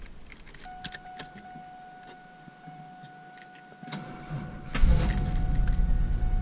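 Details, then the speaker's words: 2000 Chevrolet Camaro 3.8L V6 5-speed, sitting two to three hours after a one-hour drive, clutch depressed: door chime, short uneven sluggish crank before catching and settling roughly; starter sounds weak and unhappy. "Yeah, it started, but it barely started. The starter just does not sound happy."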